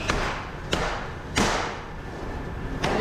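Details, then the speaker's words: Band saw blade in the file room dropped repeatedly onto a big flat anvil, landing with single clean thuds and no rattle; the blade lies flat but tension is still a bit high, though not dangerously. "how it hits flat on that anle when she sling down the an that's good want that saw to feel light on this big flat Anil"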